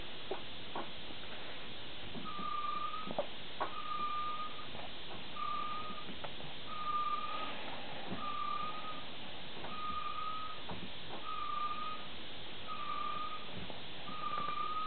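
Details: 2002 VW Jetta GLS TDI on jacks, front right wheel turned slowly by hand in neutral, not rotating freely: short high squeal about every 1.5 seconds; owner suspects brakes too tight or bad bearings.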